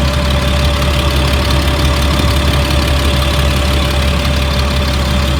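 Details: 2004 Blue Bird All American 72-passenger school bus, Cat diesel, warm after running about an hour, not overheated: even steady low rumble with a faint constant tone, no knocks or misses; motor sounds good.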